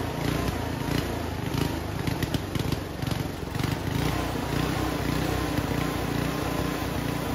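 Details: Homemade junkyard go-kart small engine, after a carburetor clean with the air box off. It runs rough, with bursts of sharp pops and cracks, backfiring repeatedly. The owner thinks it is running a little lean.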